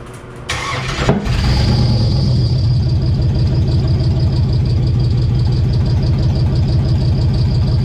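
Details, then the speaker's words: LS-swapped V8 on first start: it cranks and catches, then runs with a deep, lumpy, uneven loping idle. The misfire was traced to the coil pack being mounted upside down, crossing the coil wiring. "So a minute ago you seen how bad it was running, right? Good thing there's a lot of people that do these swaps, because I just found out what happened was, you'll notice my coil pack is upside down."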